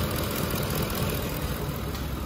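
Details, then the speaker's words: 2009 Ford F-150 5.4 V8 after a botched timing job by another shop, vapor hose capped off; idle rolls and hunts, low thrum pulsing unevenly, power balance unchanged; rough idle, cause undetermined. "rolling idle on there let's see how it is in the power balance real quick"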